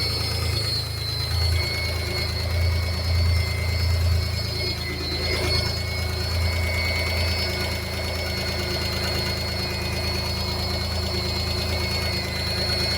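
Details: V6 on first start after a timing belt change and 10 years standing, battery light on: deep rumble, faint quick knock and a thin high whine that seems rpm-dependent. Owner wonders about the clutch, whose pedal stuck to the floor. Unconfirmed.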